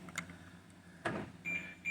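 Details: 2013 BMW X5 (E70): with nobody touching anything, door lock actuators fire in short buzzing bursts at intervals in a quiet cabin, so the locks cycle on their own; taking the battery out of the key stops it.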